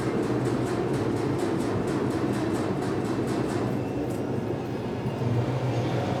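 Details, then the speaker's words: 1966 VW Type 3 Fastback, non-runner after restoration work: even starter cranking about five beats a second for four seconds, a hint of firing but no catch; fuel flowing to filter and pump, so the fuel pump works. "you heard it it tried to fire and yeah there's fuel flowing up into uh the filter or into the pump in general"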